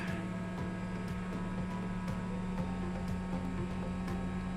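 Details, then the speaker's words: Eberspacher Hydronic 10 kW heater on a test bench, battery connected, functional check: small circulation water pump briefly running dry, steady low electric hum with a few faint ticks; pump working normally. "okay i can hear the water pump working usually you should not run it dry but in this short period of time it will be no problem"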